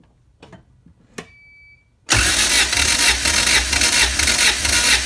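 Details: Honda CRX all-motor B17 that jumped timing on the highway, suspected bent valves; compression test cranking with throttle held open; even churning beat about two a second, healthy cranking.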